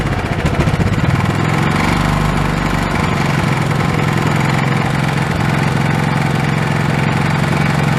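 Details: Old Honda pull-start engine, sat for years and earlier only running on starting fluid, now reassembled with the throttle hooked back up: catches on the pull and settles into a steady, even putter with no stumbling; running properly.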